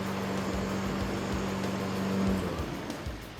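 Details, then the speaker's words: Honda HRN216 lawn mower running after a full general service and tune-up with blades sharpened and precisely leveled; even, steady engine drone with constant low tone, no surging, knocking or shake: normal running. "Look, you can see there's no shake. There is if I touch it. That's from the blades being so perfectly leveled."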